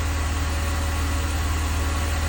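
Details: 2002 BMW 330Ci idling: smooth even idle, faint whoosh from secondary air pump that then shuts off, no ticking; earlier tick gone, suspected collapsed lifter pumped back up; healthy engine.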